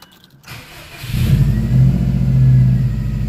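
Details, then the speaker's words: 2004 Subaru WRX cold start right after spark plug replacement: cranks briefly, catches cleanly and settles into a smooth, even low idle with no stumble or misfire. Normal cold start. "started up listen for a misfire sounds good as a cold start"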